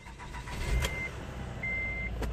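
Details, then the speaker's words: 2008 Acura TL 3.2 V6 idling steady and even with no stumble after replacing ignition coils, fixing random misfires (P0300, P0302, P0303, P0305). "looks like it's not misfiring anymore"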